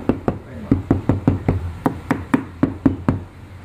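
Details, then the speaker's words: Mitsubishi Xpander rear right door after fitting two layers of sound-deadening: about a dozen hand knocks, each a short dull thud with no ring or rattle; solid, well-damped door panel. "lalu seandainya udah kita kasih peredam Seperti apa ini dua lapis jalur ya lebih bantet"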